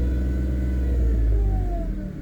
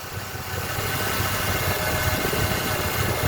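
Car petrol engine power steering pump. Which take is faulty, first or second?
first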